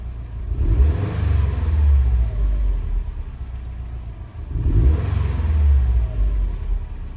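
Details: 2017 Subaru WRX STI after short block replaced for spun bearing rod knock, still breaking in: deep, even engine rumble with two brief revs, no knocking or ticking, running smoothly.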